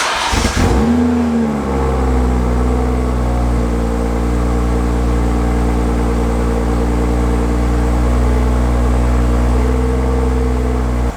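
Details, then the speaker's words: 2022 BMW X3 M40i LCI (G01), B58 inline-6, started right after a DIY oil change and filter-housing check, left idling to warm toward operating temperature: quick crank and catch, flare, then a smooth, even, deep exhaust burble with no knocks or ticks; healthy. "So I'm gonna start up the car, and I'm gonna let it warm up a little bit. You guys are gonna hear the exhaust. Sounds good."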